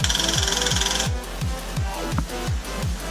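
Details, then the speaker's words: Subaru WRX STI build, first-start attempt: quick sharp ticks then scattered clacks with no cranking rhythm. The starter pinion kicks but won't turn the engine, and a second starter also failed. A new starter will be ordered. "Hold on. That's the start. It's not turning it. Alright, so we got 2 starters that don't actually work."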